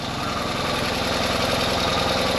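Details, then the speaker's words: Ural sidecar twin after repairs for an engine noise (timing rechecked, valve clearances reset, clutch rod fixed, new gaskets): a steady, even twin-cylinder idle with a regular beat and no knocks or misses. Normal idle. "Voilà, écoute, un bicylindre, quel bruit il doit faire normalement."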